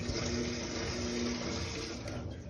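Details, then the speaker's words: Mabe Aqua washing machine on spin after replacing the drain pump, whose impeller blade broke so it only buzzed and wouldn't drain. The new pump gives an even, steady hum with no buzzing or straining and drains the water. Normal drain pump operation. "Ah ya no zumba la bomba cuando zumbaba el zorro bastante ferte Ah está desaguando la otra bombita"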